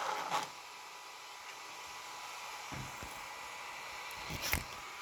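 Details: New Traxxas Maxx RC truck: steady electric motor whine with sharp, uneven clicks from a wobbling rear differential ring gear; fixed by re-tightening the four diff screws evenly in a star pattern.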